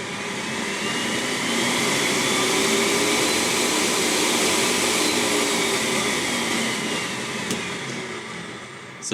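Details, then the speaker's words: Custom electric heater blower in a 1994 Piaggio Vespacar P2 three-wheeler, running inside the car. Smooth, even rushing air with a steady motor hum and no rattles; it blows really hard. Normal blower fan operation. "yeah, that blows really hard. And here's the switch for the heat."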